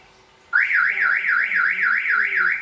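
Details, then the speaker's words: Toyota Innova Reborn locking with a door still open: one long warbling chirp of about two seconds instead of the double chirp heard with the hood open; door-ajar warning. "Jadi mudah-mudahan dengan eh pembahasan kita kali ini kita bisa membedakan bahwa bunyi alarm ini karena pintu atau kap mesin yang masih terbuka"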